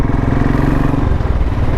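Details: 2013 Royal Enfield Classic 500 fuel-injected single, riding after both spark plugs were replaced to cure a misfire caused by one dead plug and one partly weak plug. Firm, regular thump with no skips; fires evenly, running normally.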